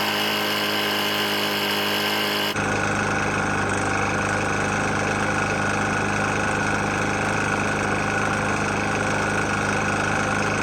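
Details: Briggs & Stratton engine on a Murray E450 mower, found almost out of oil and then topped up: steady running with a rough, harsh rattle through the note; a worn engine knocking badly.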